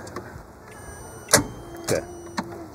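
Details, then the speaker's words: Boat engine in a tow boat, good battery: three heavy clunks as the starter engages the flywheel but the engine never turns over; pistons rusted and seized to cylinder walls. "that sound is bad click it again okay okay because this battery is good sounds like the star just trying to engage um but it's not turning the engine over it tells us the engine may be seized"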